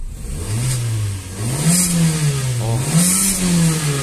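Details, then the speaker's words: Renault Sandero with a leaking gearbox and check-engine light on: engine revs up and back down twice with quick throttle response and no misfire; normal free revving. "tá vendo chique o carrinho tá acelerando a resposta do acelerador com o conta giro lá ó motor tá redondinho"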